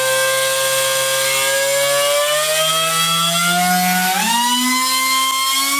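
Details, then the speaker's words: Low-cost Power-Fist pneumatic air die grinder (vane motor), regulator at 100 PSI, about 70 PSI at the inlet: whine climbs on spin-up, then jumps and warbles at one speed before settling higher; speed-wobble resonance. "he you can hear it coming up to speed there's a there's a real spot where the harmonics kicking and it it it's a speed wobble there"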